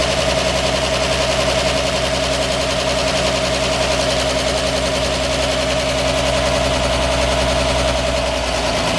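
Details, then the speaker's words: 1946 Chevy 2-ton cab-over, 235 inline six, first start in years after head rebuild fixing two stuck exhaust valves: steady, even idle beat with firm low rumble, no knocks or misses; normal running. "doesn't seem like it though this thing runs like a dream yeah it does"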